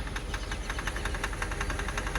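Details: 2006/2007 Mercedes CLS 500 just started after a fuel pump issue shows a sharp, regular ticking knock about eight a second over the idle; source not pinned down yet.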